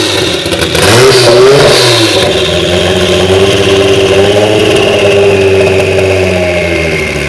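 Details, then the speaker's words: DeLorean with a swapped Kia twin-turbo V6, warmed up, running a base map from a previous Kia engine: revs up strongly, then settles into a slightly uneven, hunting run. The untuned engine still needs tuning and bug fixes. "all right so obviously we have some tuning left to do and a few bugs to sort out but uh our base map from the last kia engine like this that we set up seems to work pretty good"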